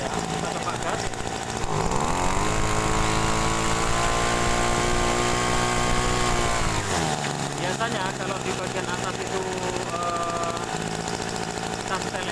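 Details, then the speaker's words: Small two-stroke sprayer engine during carburetor adjustment; revs up, holds, then sags as the mixture screw is turned counterclockwise, with uneven popping at the exhaust indicating a somewhat rich mixture. "kita perhatikan tuh ya suaranya agak ee meletup-meletup di bagian kalpot ini sebetulnya campuran yang EE agak basah ya"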